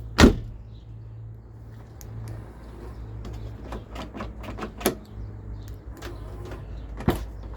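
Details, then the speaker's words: Rear car door lock actuator after being removed, its internal mechanism worked a little and refitted, tested locking: crisp single clunks with a quick motor buzz as it throws and releases. Previously it would not lock or make this sound; it now works normally. "E kitlemeyi deniyorum. Önceden bu ses de gelmiyordu. Şu anda kitlendi."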